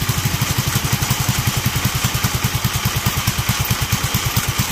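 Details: Duromax 18hp single-cylinder engine with its aftermarket intake air filter removed as a test: slow, loping, uneven thump around eight beats a second, barely hanging on; idle still too low and unstable.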